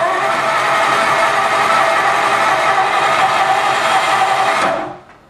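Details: 1954 Ford Skyliner, first start after carburetor rebuild: steady whirring crank that never catches, then cuts out abruptly; weak starter from a poor battery terminal connection.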